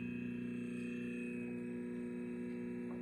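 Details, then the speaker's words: Samsung fridge: loud steady fan hum with fast fluttering tick, grinding as the evaporator fan blades strike ice built up on the evaporator. "this is because the evaporator developed ice and the fans blades are hitting it"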